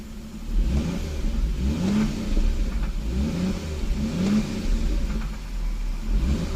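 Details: Toyota 7M-GTE about 4,000 miles after head gasket repair, idling and blipped: dull irregular knock under revs; owner suspects rod knock, unconfirmed.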